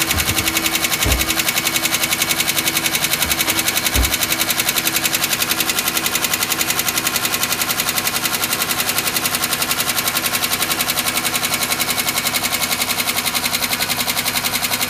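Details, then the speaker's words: 2005 Chevy Equinox petrol engine on cold start: rapid, even metallic knocking at idle that stops once the engine warms up; owner wonders if it was low on oil; cause unconfirmed. "I got a 2005 Chevy Equinox having some problems when I turn it on it starts knocking and then after warms up it stops knocking"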